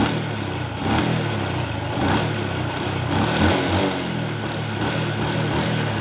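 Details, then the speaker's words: Honda Wave 110i brought in for hard starting and stumbling, after new spark plug fitted: small single ticks over evenly, picks up cleanly on throttle and settles back without stumbling; normal idle and revving. "เติมเราเติมเรานิ่งนะครับเดินเราได้นะครับยึดวอด"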